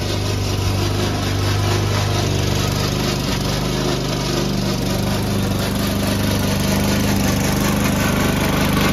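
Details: Old Toro Recycler lawn mower while cutting Kentucky Bluegrass: busy engine drone with harsh rattling clatter from the drive system, not the blade; noise later solved with WD40.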